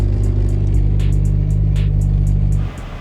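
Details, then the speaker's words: Turbo Honda Fit after upgraded stiff motor mounts and new exhaust: heavy low droning idle hum with coarse buzzing throb through the body; engine vibration now louder than exhaust. "You can feel all the vibrations of it kicking on and off. Crazy how much of a difference it makes just accelerating though. It does feel very nice. But now like, the vibration of the engine is louder than the exhaust."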